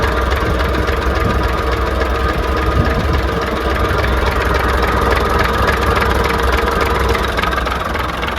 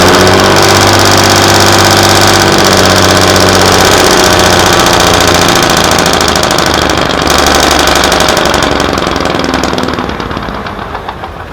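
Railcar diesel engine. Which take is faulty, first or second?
second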